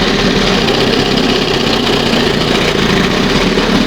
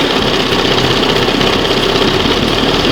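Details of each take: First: 1971 Johnson 20 HP two-stroke outboard warming at fast idle: steady, slightly rough drone lacking crisp edge; unburned oil and fuel mix still appearing; rich running from wrong, oversized high-speed jet. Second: 1971 Johnson 20 HP two-stroke outboard after carburetor rebuild: steady, crisp two-stroke patter at idle, no misses or surging; cam on first mark, now responds, idle screw had been set slightly lean; normal idle.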